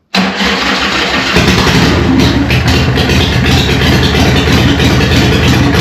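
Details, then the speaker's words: Newly built Harley Evo chopper, first start after eight-month build, choke on, in neutral: fires instantly and settles into a loud, lumpy, even V-twin beat with no knocks or rattles; healthy first start. "Straight away, baby. How good does that sound? What do you reckon, John? What? Fucking loud."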